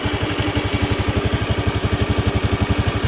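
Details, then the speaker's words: Honda Beat FI scooter with rough, hunting idle, after adjusting the throttle body air screw clockwise; dirty throttle body blamed: steady, even thumping about three beats a second, no hunting or stumbling; normal idle. "Thế là langsam lại ngon rồi anh ạ . Tức là Van tiết lưu có vấn đề rồi anh ạ, nó thường bị bẩn và cũng cần bảo dưỡng lớn nhiều anh ạ,"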